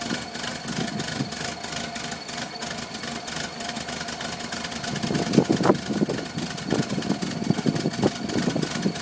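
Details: 1978 VW Westfalia bus: uneven, lumpy idle with irregular stumbles worsening until it stalls.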